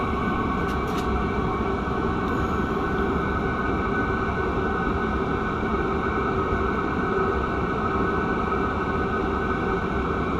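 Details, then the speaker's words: Cheap Chinese diesel air heater during polar-vortex testing: steady even roar with constant fan whir, no surging, popping or knocking; fuel pump barely audible, burning cleanly and very hot. "i don't even hear the fuel pump i can feel it i can barely hear it though i barely even hear that"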